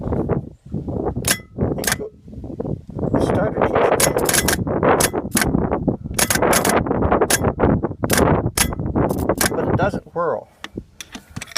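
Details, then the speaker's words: John Deere 2010 tractor starter, removed from the tractor and energized: sharp, irregular metallic clunks about two a second as the gear throws out, with no spin-up whirr. The starter clunks but does not spin; the owner suspects a bad starter. "obviously this turns, the starter gear, whatever you call it. But is it supposed to go out like that, or isn't it supposed to spin?"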